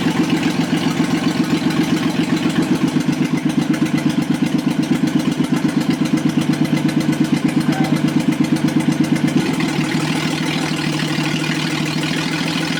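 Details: Rebuilt Toyota 7M-GE, valve seats dremeled, run on a furniture dolly out of the car: lumpy, uneven pulsing about three beats a second, the rhythm stumbling; one cylinder dead from leaking exhaust valves.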